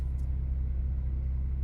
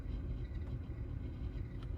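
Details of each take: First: 2017 Audi Q5 3.0T after replacing a blower motor whose worn bearing rattled: the HVAC blower gives a steady, even low hum with no rattle, tick or scrape; normal, quiet blower operation. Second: 2017 Audi Q5 3.0T with the HVAC blower on a low setting gives a low, uneven rattling rumble; the blower motor under the glove box has a worn bearing and is being replaced.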